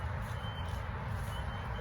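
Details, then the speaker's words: High thin half-second beeps about once a second over low rumble, louder upstairs next to the apartment door; building fire alarms disabled, no car alarms going off, source unknown. "you see the noise is getting louder right next to my door. And there's no car alarms going off."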